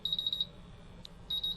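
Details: MultiRAE gas detector during bump test with calibration gas: fast shrill beeps in bursts of about seven with short pauses; CO and H2S sensors in low alarm.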